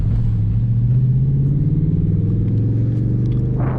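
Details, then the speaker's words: Audi S5 V8, accelerating hard on the road after its cylinder 8 spark plug was cleaned to cure misfire codes. A deep, smooth note climbs cleanly through the rev range with no stumble or missing, and the misfire seems solved. "And this thing pulls through the RPM range. It's got a nice power band. And I'm not feeling any missing."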